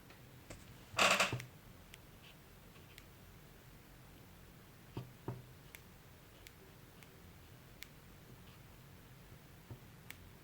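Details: MacBook Pro (15-inch, 2019) speakers making sharp irregular pops and clicks in a silent room even while sound is muted.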